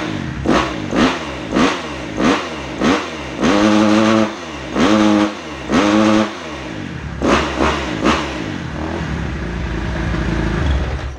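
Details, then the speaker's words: 2010 Kawasaki KX250F, kick-started and warming up with the hot-start lever unused: crisp repeated throttle blips rise cleanly and drop back to a steady idle with no hesitation or clatter. "Bon voilà, déjà là, ça prend bien les tours, ça me va bien."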